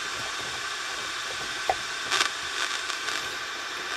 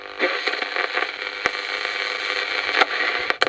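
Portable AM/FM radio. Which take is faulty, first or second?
first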